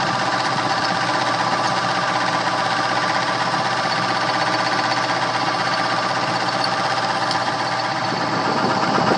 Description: Motor has 2 speeds hooked up and is very noisy on high speed. The bearing is bad and I had to replace it.